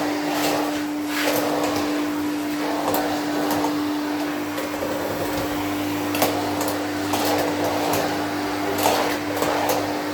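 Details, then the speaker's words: 1972 Electrolux Z310 cylinder vacuum cleaner, running with the automatic floor tool after its dirty fans were cleaned and lubricated: one smooth, quiet motor tone with soft floor-tool swishes, nothing rough or rattling. Normal running. "give her a quick run around just so you can hear how quiet the motor is."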